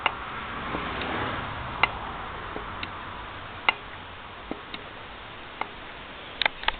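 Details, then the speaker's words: Motorcycle rear wheel freewheeling on a homemade tire balancer in a quiet garage: a sharp single tick about every two seconds, suspected wheel bearing, not confirmed; bearings to be replaced before a road trip. "so anyway there is a trick for you focus quietness of your own garage spin that back tire and bliss it"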